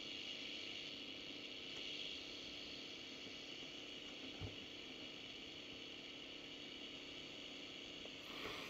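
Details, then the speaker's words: Unitra Eltra Ania MOT-711 long/medium-wave receiver, old capacitors dried out, before switching to medium wave. A steady even hiss with no voice or music; unclear whether it is picking up the Polish Radio station. "szumi jak zresztą pewno słyszycie niestety trudno zorientować się czy łapie program Polskiego Radia"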